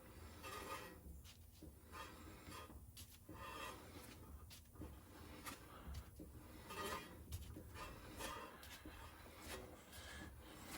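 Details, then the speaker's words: 2009 Honda CR-V front wheel, raised, recently replaced pads like new: dry rasping scrape each turn, heard on both sides, from rust on the rotor rubbing; cleaning needed, not new brakes. "I heard it on both sides of the car but the right side is doing it right now let's take a peek at the other side and this wheel's off obviously and look at the thickness of the brake pads they are like new what we are hearing is rust"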